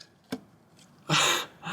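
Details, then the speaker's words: Audi S3 engine stripped down with the engine off: the cylinder 2 connecting rod is rocked by hand, giving sharp metallic clunks from about 3–4 mm of play; the rod bearing is gone. "there's about three or four mil movement so yeah Batman's gone"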